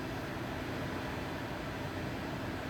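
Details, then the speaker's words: Replacement induction cooktop in a van build, set to 450, heating water: soft steady fan rush with a faint low electrical hum, not piercing like the old unit, no rattles; normal induction cooktop hum. "So, I do hear that like electricity sound, but it's not like hurting my ears."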